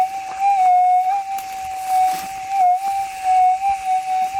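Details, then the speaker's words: Gold metal detector with RX (receive) gain turned up for demonstration, no target present: constant high threshold tone wavering in pitch and loudness; still unstable after ground balancing, masking signals. "it's in Balance so it's not going to change anything it's still going to run unstable"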